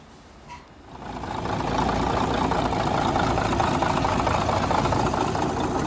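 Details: 1951 D8 2U dozer diesel, sitting in a barn since about 1990 with the big motor once stuck, first start on its own power: quiet, then it catches within a second and settles into a steady, even rumble with no misses.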